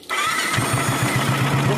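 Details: Royal Enfield Classic 350 single-cylinder engine starting and idling with light metallic tik-tik ticking from hydraulic tappets; engine oil filter shown, oil supply to tappets suspected.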